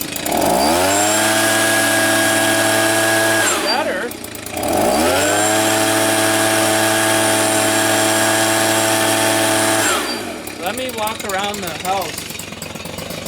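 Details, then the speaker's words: Old Stihl leaf blower being repaired for not staying running, warming up after carburetor clean and tune: small two-stroke holds a steady high buzz, dies, restarts and runs steadily, then cuts out; stalls, cause unknown. "why did it stall i don't know does that mean you gotta twink the shoulder but we'll see"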